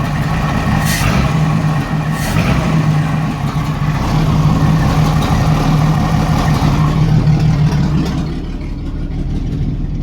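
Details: 1987 Jeep Cherokee Renix 4.0 petrol six: lumpy idle with steady single-cylinder miss from sticking exhaust valve or bad lifter on cylinder 6; loosening the exhaust rocker bolt made it run smooth, leaving a slight tick.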